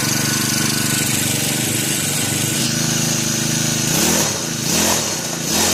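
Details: New Turbotech SD T35 4S four-stroke brush cutter, bought two days earlier, would not start; after replacing the shorted ignition coil (100 ml 20W40 oil), it buzzes evenly and picks up cleanly on throttle blips with no misfire: normal running.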